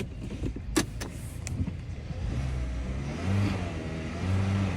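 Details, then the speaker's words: Hyundai engine after dead cylinder cleaning: uneven revving, rising and falling note with a few sharp clicks early, burning off cleaning fluid smoke to clear out. "that's that training fluid doing its thing cleaning it out doing its thing"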